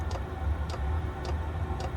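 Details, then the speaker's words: Chinese diesel heater, just as its pump kicks in: sharp, even ticks about twice a second over a low fan hum. Normal fuel pump ticking. "okay so you can hear that the pump's just kicked in"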